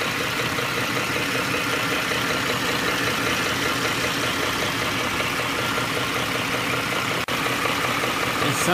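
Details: Ford 5.4L three-valve V8 at hot idle: steady hollow knocking clatter, loudest near the torque converter area but coming down from the engine, not torque converter knock; cam phaser knock.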